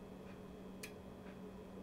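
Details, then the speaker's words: Shelly EM energy monitor, internal relay switch rated 220 V, 2 A maximum. Sharp single clicks about a second apart over a faint hum: the relay is switching normally. "l'entendez claquer voilà donc l'interrupteur interne 220 maximum deux ampères"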